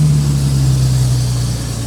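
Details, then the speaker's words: 1989 Jeep Cherokee XJ Renix 4.0L, very cold start: fast, steady drone near 2,000–2,500 rpm only eases slightly, drops after 30 s–1 min; high cold idle blamed on idle air control valve, cleaning failed, replacement planned. "and yep so the Cherokee does do this when it's really cold out it idles super high she'll come down give her a little bit there she"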